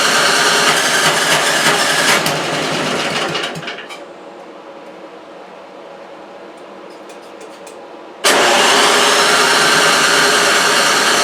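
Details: Toro 3521 snow blower (about 21-inch) with spark and compression but roughly three-year-old gas and a holed primer hose: catches on starting spray, runs only briefly, then fades with silence between bursts; fuel starved, gummed carburetor.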